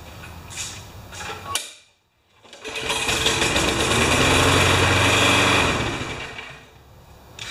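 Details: Neighbourhood mower: sharp, rapid, very regular knocking over the small engine's buzz the whole time it runs; internal mechanical knock, blown rod suspected, first sounded like a loose blade.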